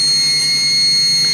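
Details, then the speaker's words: Leaking intake manifold gasket on supercharged M90 1UZ-FE V8 in Toyota Prado, thin steady high-pitched squeal from air drawn in, located by probing around throttle body; leak is manifold, not supercharger. "nous commençons simplement à le mettre autour de n'importe quel point que nous pensons que l'air pourrait entrer dans ce moteur provoquant ce grincement aigu"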